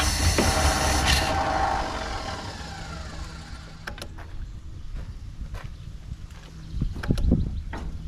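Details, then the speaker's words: 1959 Plymouth Savoy on a failing battery booster after gas was poured into the carburetor. Loud cranking and a brief ragged catch fade into an uneven sputter with sharp pops; it won't keep running. Oil checked fine. "a well I had it running for a second sounded terrible though"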